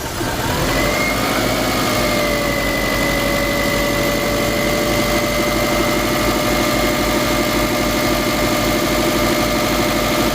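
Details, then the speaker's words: Subaru Forester 2.5L EJ25 after intake manifold removal and fuel line replacement, run about 20 minutes toward operating temperature and bled of bubbles: steady, smooth, low idle with no knocks, ticks or misses; running really good. "It's been running for about 20 minutes. It's bled. No more bubbles in there. This is a good. It's running really good. Idle's really low."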